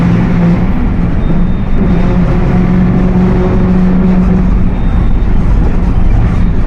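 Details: Mercedes-Benz OF 1721 BlueTec 5 diesel bus (Apache Vip IV) under way: heavy diesel drone with low steady hum over road noise, rear axle differential groaning under load.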